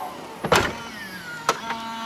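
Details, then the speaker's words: 2022 Tesla Model S powered liftgate: motor whine with faint high squeak and a couple of clunks as it moves, squeakier than a Model 3; hinge or strut suspected, owner hopes lubrication fixes it. "Squeaking a little. Doesn't sound as loud as the Let me hear it again. That sounds loud. It's not as refined as the Model 3. See, squeaks a bit."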